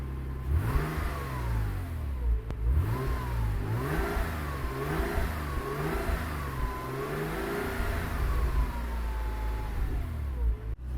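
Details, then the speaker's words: 1998 Porsche Boxster 986 petrol engine after about 10 minutes warming up, coolant topped up, still smoking slightly: repeated blips rise and fall smoothly, earlier ticking completely gone; normal revving. "the ticking noise is completely gone this thing sounds amazing let me just rev it up for you"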